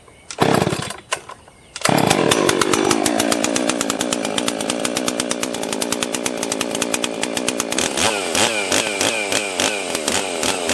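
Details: Husqvarna 261 62cc chainsaw, mostly stock with rebuilt carb, cold start with choke: fires after a couple of pulls and settles into a crisp, even two-stroke idle, then blips cleanly; normal running.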